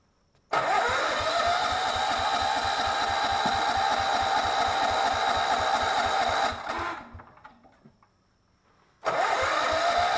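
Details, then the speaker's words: Miller Bluestar welder that sat five years: starter spins repeatedly without firing; the carburetor picks up no fuel and is clogged, so it is to be removed and cleaned. "trying to clean the carburetor I don't see it pick it up any fuel so yeah more fun stuff"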